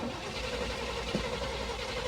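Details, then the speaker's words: Salvage-yard Chevrolet square-body C-10 truck: steady starter cranking with no firing; the cause was found as moisture inside the distributor. "Is there moist? Yeah, there is moist. There's moisture inside of here. That is our problem. We got the distributor wet."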